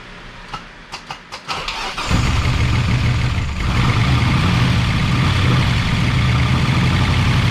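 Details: 1988 Chevy Camaro IROC-Z V8, first start after replacing lifters that would not stay pumped up, after priming oil pressure: a few cranking turns, then it catches and settles into a smooth, even idle with no top-end ticking; normal idle.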